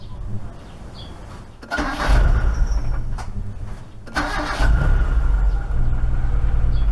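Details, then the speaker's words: Proton Saga Iswara LMSS started after sitting a week on jack stands, following belt and seal work: brief cranking, needs a second start, then steady even idle; previous power steering noise gone; normal start and idle. "you know he idles quite nicely though need second start but no more noise what do you know power steering no more noise"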